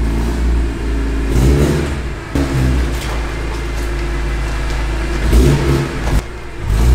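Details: BMW E46 M3 at 160k miles, just after rod bearing replacement, VANOS overhaul and subframe reinforcement, with headers and cats removed: strong deep engine note climbing cleanly on each rev and dropping back to a steady idle without knocking; engine runs healthy.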